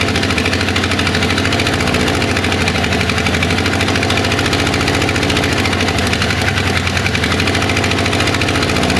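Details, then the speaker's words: 1961 Ford Unibody truck with a 1968 Mustang 302 V8 and C4 automatic, first run after 29 years stored, Marvel Mystery Oil in cylinders: loud, lumpy idle with uneven pulse, some knocking and smoke. Rough running after long storage. "went through I don't know maybe six ounces of fuel and yeah I mean sounds like something's been sitting forever we're gonna call that a win"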